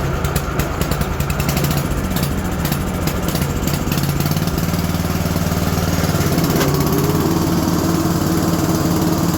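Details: Modified 3416 lawn tractor test start after deck, PTO and drive belt tension work: slow, lumpy beat lifting slightly, well under working speed; governor needs turning up by moving its spring.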